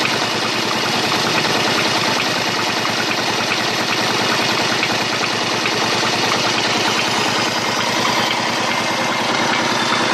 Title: Bruit moteur